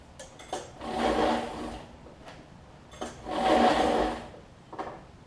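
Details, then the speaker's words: Troy-Bilt 550-watt generator, with a new coil and plug now giving spark and full of oil; each pull of the starter cord brings a rough scraping grind of about a second; the cause is unknown. "grinding noise is i'm a little fearful to do this however i do want to see it run"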